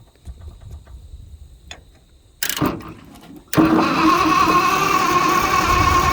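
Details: Motowlift forklift with flathead Ford converted to propane, 6-volt engine on 12 volts, revival attempt: after false tries, steady starter whirr about three beats a second with no firing; cranks without starting, water found in the system, spark unchecked.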